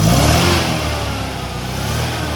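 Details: Restored 1969 Datsun 2000 roadster, 2.0 liter engine, cold start with engine not hot: catches immediately and settles into a steady, even idle with a deep rumble and no knocks. Normal cold start idle.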